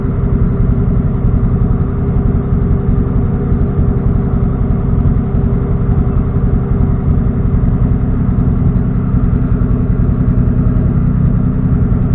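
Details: Engine on a standalone ECU, idle fuel being tuned in TunerStudio after a lean backfire, warming toward operating temperature: deep, steady idle rumble with an even beat, no stumbles, pops or hunting; fueling right.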